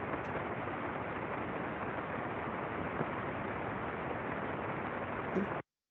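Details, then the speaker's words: Ultrasound probe recording of a good rolling bearing, reading 18.3 dBµV: soft even rushing hiss with no crackle, clicks or periodic impacts; normal, well-lubricated bearing. "então por favor Rafael vamos ver o som de um rolamento bom por ultrassom"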